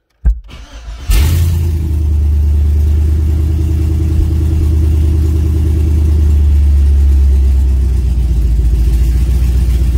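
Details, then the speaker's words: V8 with Holley Sniper EFI right after installing a new throttle body, TPS at 0, cold start before operating temperature: cranks, catches quickly and settles into a steady, even idle with a deep smooth rumble, no misfire. Normal idle. "It sounds good. Alright, well, let's see where it balances out at."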